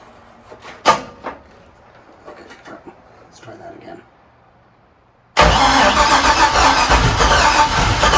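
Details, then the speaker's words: '61 Comet with LS swap and Haltech ECU, first start in 26 years: quiet clicks and handling, then the engine catches abruptly and settles into a strong, even idle; clean first start. "again woo okay first start was a success"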